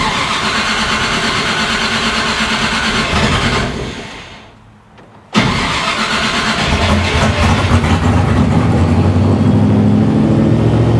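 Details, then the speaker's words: 1955 Chevy Nomad small-block with dual Holley Sniper EFI, at about 170 degrees, not yet learning. The idle surges up and down and dies, then restarts hunting; the handheld read "No data" before the stall and the owner suspects a ground issue, unconfirmed. "so it said No data then died makes me think it's maybe a ground issue"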